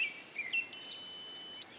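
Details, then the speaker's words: 1997 Toyota Corolla/Geo Prizm overheating in traffic: multimeter gives a steady high-pitched continuity beep across the 30 A radiator fan number one fuse, confirming the fuse is good. "I don't know if you can hear that but as I touch the leads together it makes a beeping sound"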